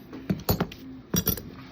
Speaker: And when we have this, you can test by hand, locking this, and you can hear the click. And when it goes back, it release the brake and it works like that.